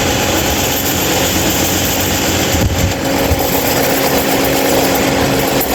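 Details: 26-inch Mahita stand fan running: a steady loud whir with a hard buzzing edge and faint rattles, noisier than it should be.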